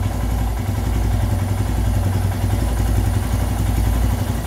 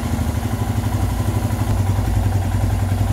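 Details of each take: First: Royal Enfield Himalayan idle screw on the throttle body turned anticlockwise about 40–50 degrees: steady, fast single-cylinder thump at a raised, even idle. Adjust with the engine warm; the recommended idle is 1250±50 rpm. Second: Royal Enfield Himalayan, warm engine, after idle screw adjustment on the throttle body (target 1250±50 RPM): steady, even single-cylinder thump at settled idle, no hunting or stumbling; normal idle.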